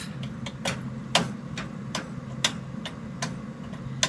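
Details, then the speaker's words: Home furnace running: sharp uneven clicks about two to three a second over a low steady hum; valve appears to be clicking and shaking, owner unsure whether from the pipes or the valve. "this is the other valve which seems to be click clicking inside also it all seems to be clicking um and I'm trying to figure out where exactly it's coming from"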